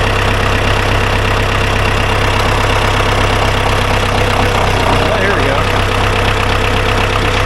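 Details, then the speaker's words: Ford 2120 diesel tractor that sat for years, after cutting rusted-tight throttle cables and setting throttle to lowest position: steady even clatter at low idle, no misses or knocks; normal idle. "Honestly, she sounds pretty good. Well, that's cool. I am thrilled that it starts."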